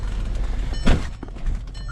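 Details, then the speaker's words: 2010 VW EOS 2.0L, hard to start, black smoke, smells of fuel, check engine light flashing, shaking and reluctant under throttle: rough, lumpy idle with uneven stumbling thumps; misfire, suspected leaking injector. "so I have a preliminary thought we're going to we're going to have a leaky injector"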